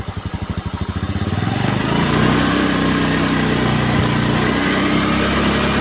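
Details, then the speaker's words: Honda Beat eSP scooter that smoked with wet exhaust and rough engine, after cylinder block replacement: fires after a few pulses and settles into a smooth, steady idle with no knocks; repaired. "Mesin halus."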